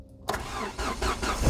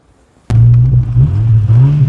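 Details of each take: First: Ford Escort Mk6 after a new exhaust and ball joint, in neutral: the engine catches almost instantly on cranking and settles into a steady, even run; a healthy quick start. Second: Ford Escort Mk6 hatchback with the rear silencer missing (box deleted itself); engine fires into a very loud, deep booming drone with heavy low rumble, open-pipe exhaust sound; the car also has a worn balljoint.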